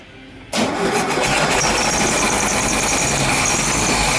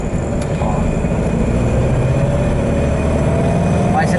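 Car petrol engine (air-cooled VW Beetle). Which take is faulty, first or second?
first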